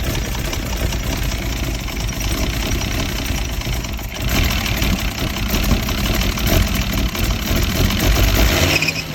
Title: W114 280ce rough idle